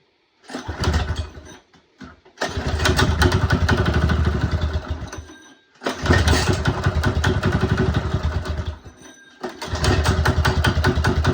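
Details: Small single-cylinder engine after carburetor rebuild and stripped bowl bolt repair: steady putter with brief speed dips before picking back up; running normally again.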